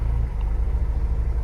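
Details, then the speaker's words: 2000 Honda S2000 after fixing a long-standing misfire problem, warm idle at about 800 rpm, in spec: low, steady exhaust pulses with no popping or stumble; engine running smooth as glass. "The idle is right. It's sitting at about 800, which is in spec. Usually I like to see it a little lower than that, but I can tell from just sitting here, it is smooth as glass."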